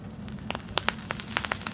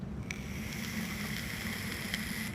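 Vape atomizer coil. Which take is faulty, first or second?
first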